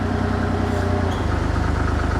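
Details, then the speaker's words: Diesel-driven hydraulic pump feeding a grapple rotator through flow control valves opened only about an eighth of a turn: the low drone deepens and labors as the nearly dead-headed pump loads and lugs the engine. "Okay. Now, obviously, you can hear we're putting a little bit of strain and lug on the engine as well because the hydraulic pump is trying to push flow and it can't. So, it's almost dead heading the hydraulic fluids."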